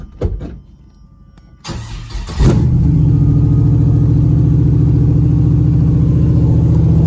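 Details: LQ9 V8-swapped 1973 Firebird with a 6-speed manual, restarted after cooling system and earth work: a short crank, then a steady fast idle that never settles. Owner suspects the choke.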